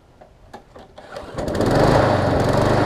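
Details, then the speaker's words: Small-engine mower, pull start: picks up to slightly uneven hunting beat, runs but not fully smooth; owner suspects swollen carburetor needle and seat starving fuel, or restricted fuel line, possibly fixed by carb swap. "That one almost sounds like it's got a swollen up needle and seat and where it's not allowing enough gas in there. Or I could have a restricted fuel line if I'm lucky."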